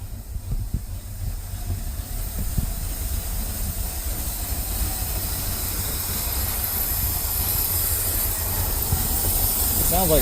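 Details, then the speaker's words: Ford F350 dump truck on first test drive after revival: low engine rumble with a steady airy hiss building as revs rise; sounds like it's sucking a lot of air, engine tries to die. "it's sucking a lot of air just Tred to die"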